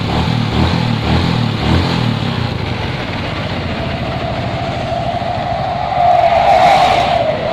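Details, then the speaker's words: Suzuki Shogun 125 motorcycle that has ignition on electric start but loses spark on kick start, started directly at the starter: small single runs steady and even, picks up cleanly on throttle; running normally. "tuh motor bisa nyala ya teman-teman motor bisa nyala menggunakan starter digas juga di normal"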